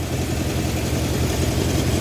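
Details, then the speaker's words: 1971 Honda CB750 K1 four-cylinder idling with an uneven low beat and popping on cylinder one because its carburetors are out of sync, heard during carburetor synchronization. "So, I can definitely hear the popping on cylinder one."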